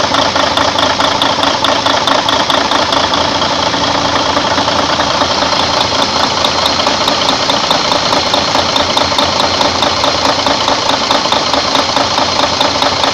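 Even, regular diesel clatter at a steady idle with no irregular knocks or hunting; this truck engine is idling healthily.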